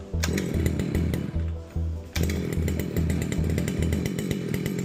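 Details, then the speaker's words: New-in-box Losi 5IVE-T 2-stroke RC engine, high and low ends just tuned, after starting trouble: crackling, buzzing uneven bursts with surging revs; running normally but still on choke. "You know what we never did? We never flipped it off of the choke."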